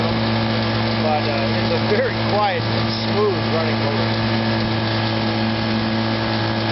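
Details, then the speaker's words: 1957 Sea King 5 hp outboard made by Gale/Evinrude, with a new fuel pump and new water pump: steady, even low idle with only a light cowl rattle on top; quiet, smooth normal idle. "So it's got a brand new water pump in it. Sounds good."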